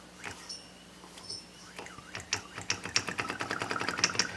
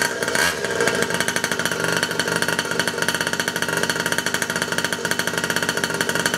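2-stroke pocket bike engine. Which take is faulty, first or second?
first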